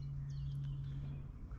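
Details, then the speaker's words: Vespa PX scooter with a brand-new carburetor fitted, fuel valve open, choke pulled, ignition on: even, steady starter cranking with no firing pulses at all, never catches; no spark because the CDI supply cable was disconnected. "oh no!!! that cannot be true!!! why the engine still does not want to start???"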